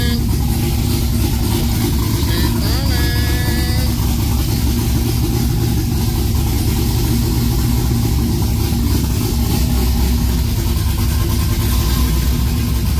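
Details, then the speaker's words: LS-swapped OBS Chevy 4x4 truck with cam, long-tube headers and clutch, just fired up: lumpy cammed V8 idle wanders up and down slightly instead of holding steady, a mild idle hunt. "com yeah it's hunting a little bit you can hear it hun okay"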